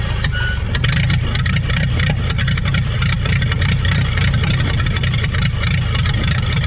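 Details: 1930 Ford Model AA doodlebug four-cylinder, revived after 72 years abandoned in woods: deep, even low rumble with steady beat, no knocks or misses; runs smooth and healthy.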